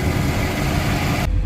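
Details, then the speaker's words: Volvo Penta in Regal boat, low hours, after leaking fuel injector repair and exhaust refit: low steady idle thrum, even beat, no knocks or misses; target rpm, 5V reference, charging and oil pressure good; normal idle. "so looking at everything here everything looks good everything is doing what it should be doing target rpm is good my five volt reference is good you got good charging oil pressure is good got low hours"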